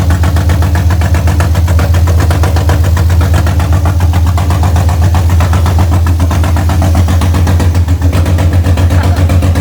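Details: BMW M52B28 straight-six swapped into an E30, first start, with the idle actuator hose loosely refitted: deep, steady burble with an even pulse and no knocks or misses. Oil light went out, and exhaust smoke is from residue on the pipe. Normal idle.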